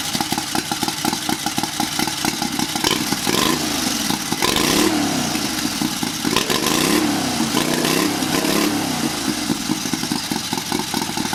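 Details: Turbocharged 670cc Chinese V-twin buggy with billet rods and flywheel, heavier valve springs, bigger cam, draw-through carbureted turbo, unloaded after first start: revs rise and fall crisply with each throttle blip; no flutter or misfire.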